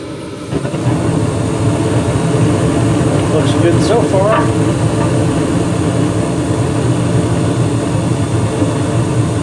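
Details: 2021 Carrier gas furnace after inspection, cleanup and filter change, burner camera: burner lights with a steady, even roar and holds smooth, no puffing, booming or rumble; normal startup.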